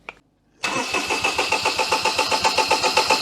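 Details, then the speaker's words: 2006 Daihatsu Charade (L251) after an engine swap: brisk, regular cranking at about four compressions per second without a single firing stroke; a test spark plug confirms no spark, connections to be checked. "we got no spark going on there so i can see ignore this make it a spark plug i know it's wrong it's a test spark plug go again nothing no okay that kind of confirms it we've got no spark"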